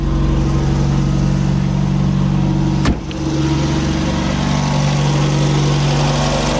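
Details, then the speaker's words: Cold first start of a Mk1 VW Golf Softtop petrol engine after refilling fluids and charging the battery, choke applied then eased. Steady, even idle with a smooth low throb at raised cold-start speed. Normal cold idle on choke. "Little bit of choke. The old girl. Little bit more. Drop a bit of choke off. Let her warm up."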